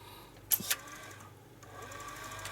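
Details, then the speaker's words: Atari ST floppy drive, swapped drive refitted upside down on the cable: a couple of sharp clicks, then a brief faint spin that dies away; the drive starts then stops without reading. Cause suspected, not confirmed. "oh i started then stopped oh that is reading it no it's not it's clicking"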